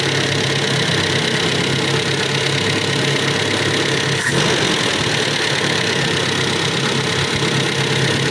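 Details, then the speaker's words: Toyota Kijang Super just after engine overhaul (stuck tappet and combustion-chamber leak fixed), not yet at operating temperature, oil not fully circulated: steady even idle with light top-end clatter, no misfire; valves still to be adjusted when warm; runs properly. "nah ini masih ada kasar karena oli masih belum naik semuanya sama nanti kita mesti Setel klepnya ya tunggu sampai suhu kerja mesin tapi ini sudah berhasil ya teman-teman ini mesinnya sudah tidak kencang kayak kemarin ya"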